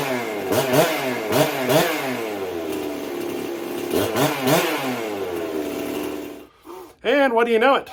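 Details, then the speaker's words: Jonsered 670 chainsaw after fitting a new compression release: several quick rasping cord pulls, then it catches and revs crisply with a clean, even rise and fall; the release made starting much easier, runs healthy. "compression release made it a lot easier"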